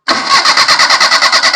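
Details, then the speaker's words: Maruti Suzuki 800 MPFI that starts, then dies after driving some distance; fuel pump already replaced. Starter turns over evenly at about eight beats per second but never fires; cranks, no start, traced to a corroded ignition coil connector. "നമ്മളിപ്പോ start ചെയ്യാൻ നോക്കുമ്പോൾ വണ്ടി start ആവുന്നില്ല."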